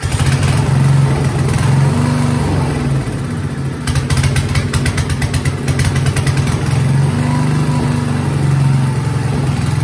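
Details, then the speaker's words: Coleman generator with a Briggs & Stratton single-cylinder engine, started on choke after sitting about a year; steady, even drone at constant speed with no misses or surging. It runs strong and smooth, but generator output still needs checking. "um it does run runs real good strong smooth"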